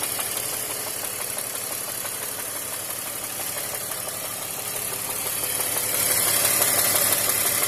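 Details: BMW X5 E53 with M54 engine at idle: regular dull knock, roughly three per second, over the engine hum; rod knock, worn rod bearing.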